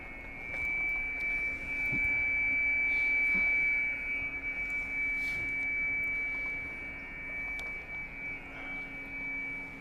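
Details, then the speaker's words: Pixie II QRP transceiver kit, telegraph key pressed: a thin, steady high beep around 2 kHz over faint hiss, showing the transmitter keying a clean, normal tone. "hay también un poquito el tono de la transmisión pero también se escuchan si queremos ver el cambio en amplitud de señal entre uno y otro"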